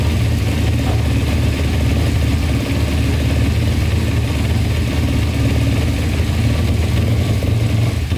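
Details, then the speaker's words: 2000 Kawasaki Ninja 250 with Yoshimura pipes, non-runner restarted on choke after oil checked full: even steady exhaust rumble at fast choke idle, no knocking or ticking, earlier knock thought to be the pipes; normal running on choke. "Knocking anymore. Maybe it was just the pipes. Thing grumbles, sure. Sounds really good."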